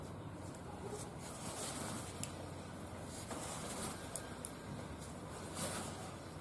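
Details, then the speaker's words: Car raised, in neutral, front wheel hand-spun after a recent wheel bearing replacement, turning almost silently with soft hiss and light ticks: bearing normal, while a speed-dependent road noise from the other wheel remains to find. "以听到这里没有声音。"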